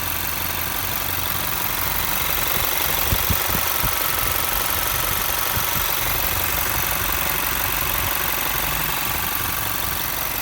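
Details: Toyota 1GD diesel, recently serviced and clean: even clatter at a steady idle with no knock standing out from the rhythm; a normal, quiet, healthy engine.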